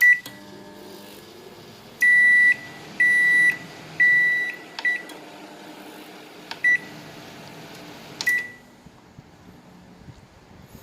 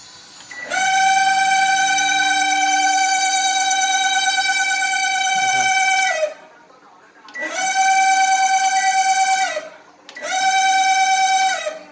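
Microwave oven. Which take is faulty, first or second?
second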